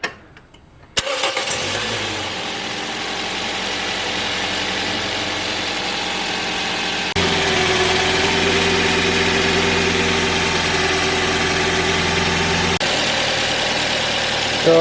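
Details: 2007 Toyota Yaris after drive belt replacement (old belt cracked and squealing at start-up): engine cranks, catches within a second and settles into a steady, even idle with no belt squeal; normal idle.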